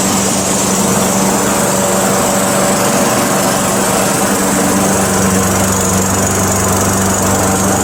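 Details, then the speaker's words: Craftsman Eager 1 mower, after a hard cold start and warming in a heated garage: steady, even single-cylinder buzz at constant speed with no misses, surges or knocks; runs nicely, normal running. "so so there you go it runs nicely just took a little while to get it started"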